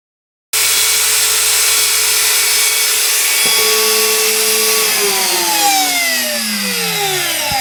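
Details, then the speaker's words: Genuine Makita die grinder at full speed, about 26,000 rpm, compared with a knockoff: starts abruptly into high steady scream, even tone, no rattle or roughness; smoother and faster than the copy. "Okay, so we could see there that the Makita actually goes quite a bit faster at 26,000 and change RPMs. Not surprising, really. The Makita has a better motor and everything else in it."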